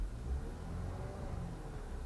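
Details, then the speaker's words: Audi 2.0 litre four-cylinder with 73,000 miles, idling after the cylinder 4 misfire and P130A cylinder-disable codes were cleared; a low, even rumble with no stumbles. The EPC light is gone and the engine runs normally. "engine codes disappeared the pc light's gone engine looks like it's running fine 73 000 miles on this car"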